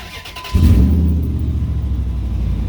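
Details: 2003 Ram 2500 quad cab long bed before cat-back exhaust replacement: loud, deep idle with rough popping/puffing from an exhaust leak just behind the catalytic converter, heard under the seat.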